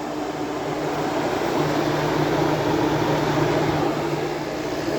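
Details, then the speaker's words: Window air conditioner running after fiddling with the thermostat: compressor running, heat coming off the back, condensing; steady low hum with constant fan rush, no rattle or squeal; normal running. "we do have compressor we have heat coming off the back and then we have condensing"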